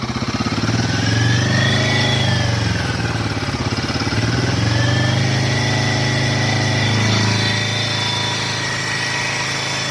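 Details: Royal Enfield Himalayan 450, stock, held at 3 rpm (as stated, likely 3,000): fast light "tik tik" ticking over exhaust drone, owner says not tappet noise, possibly from head; compared with a same-lot bike.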